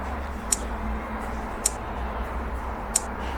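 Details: Retrol G16 model engine during ignition timing setup at top dead center of the compression stroke: sharp isolated spark snaps about once a second over a quiet low hum, the plug firing cleanly, so ignition is working normally.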